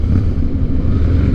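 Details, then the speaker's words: 2007 Harley-Davidson Night Train V-twin after fixing holed in-tank fuel line and under-pressure fuel pump, riding with tank near a quarter full: deep, even loping rumble, no misses or ticks; healthy and smooth. "Sounds like we got her fixed. Feels good, man. I think we got her fixed."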